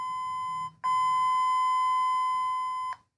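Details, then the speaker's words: Single-pole one-way switch on a multimeter continuity test: open circuit with the switch off, then a clean, steady high beep for about two seconds when switched on. Switch closes properly; switch is OK. "आता ही open circuit दाखवत आहे कारण हा switch off कंडिशनमध्ये आता me on करतो. On केलं काय बीप वाजत आहे या"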